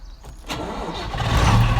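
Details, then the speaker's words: Landini Legend tractor starter: the motor whirs up and climbs in pitch but the engine never turns over or fires. The pinion/bendix spins freely without engaging the flywheel. "hey so this is my Landini Legend and you can hear obviously I have a starter motor problem"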